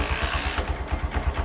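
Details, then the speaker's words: Honda Verza single-cylinder bike after a hard kick-start (electric starter not working): slow, uneven thuds at idle, and it dies when throttled. The indicator flashes eight times, pointing to a TPS sensor fault; injection service planned. "Oke, motornya hidup ya, tapi enggak mau digas. Nah, digas mati. Nah, wis enggak normal lah pokok ya."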